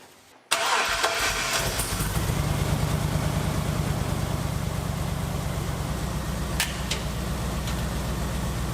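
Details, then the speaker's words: 1949 Ford F1 with an LS engine swap, running again after sitting over two years: it starts and idles with an uneven, stumbling pulse, a miss at idle. The cylinder is not yet identified; the owner suspects an injector. "All right, it's running, but it does have a miss."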